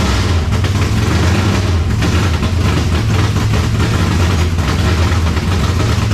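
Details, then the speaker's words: 1970 Chevelle V8 with Holley Sniper 2 fuel injection, just started after timing adjustment: deep, loud idle with uneven, stumbling low rumble instead of smooth beat; rough idle, owner suspects timing still off, may check plugs and IAC settings. "Alright, to me, it sounds like our timing is still off."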